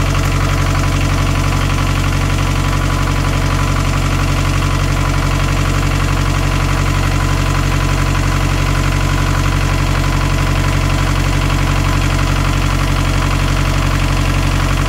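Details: Narrowboat Laura's BMC 1.5 diesel after removal and refitting of its worn injection pump: steady, even clatter at about four beats a second, no misses or knocks; smooth normal idle.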